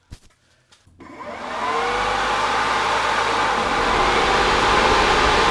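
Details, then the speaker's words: Newly rewired cooling fans on a center-mounted 24x9" custom radiator, switched on using original wiring: fans spool up within a second to a strong, steady rushing whoosh, much more powerful than the old fans, no ticking or rubbing; normal operation. "Oh yeah, that is so much more powerful than the other fans. I don't know if you can hear how powerful that is, but let's do this."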